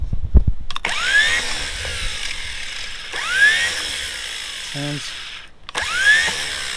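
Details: 1940s Dodge army truck that sat over 30 years: bursts of rising electric whir as the starter spins freely after its blackened copper commutator was scraped clean by rotating it against the brushes; turns over cleanly, starter now working.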